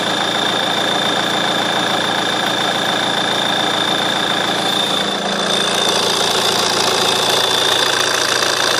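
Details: JTD diesel at idle: steady clatter with a thin constant high-pitched chirp riding over it; squeak at idle, source still being searched for.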